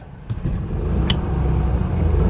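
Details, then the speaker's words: Gas generator in a 2006 Ford E350 Pleasure Way Excel TS Class B RV, 46,702 miles, push-button start: brief crank then a quick catch into a steady, even drone, no misses; starts right up, cold starts take a couple seconds. "Started right up. Super nice. Generator is running. All I did was push the button like that. On a cold start, the generator takes a couple seconds, but it fires right up."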